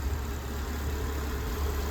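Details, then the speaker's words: Suzuki Jimny with erratic idle fluctuating 500–600 rpm, idling during fuel-trim relearn: low, rough rumble wavering slightly in strength as the idle varies; ignition checks needed if a miss appears. "You can hear it's varying the idle. If there's a miss, we'll have to go through the ignition system, but hopefully this sorts it out."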